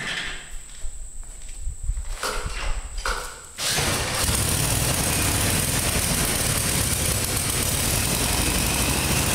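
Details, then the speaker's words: Murraygator mower, carburetor still needs cleaning again (parts ordered), likely needs choke to start; cranks a few seconds, catches, then runs with an uneven, lumpy beat that won't settle; rough running from dirty carburetor. "s it clean the carburetor out still got to clean the carburetor out again it runs kind of crappy I'm going to have to choke it probably to crank it"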